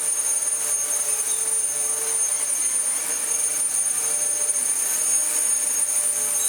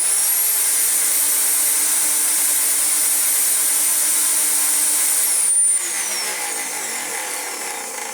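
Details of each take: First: Dyson DC14 upright vacuum after replacing a non-clutched aftermarket brushroll with a good used one and reseating parts: steady high whine with constant shrill tones, no rattling or surging; normal running. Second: Dyson DC14 upright vacuum with non-genuine non-clutched brush roll replaced by used one; old motor sparking: steady high shrill whine running rough, then power cut and wind-down; still noisy but better.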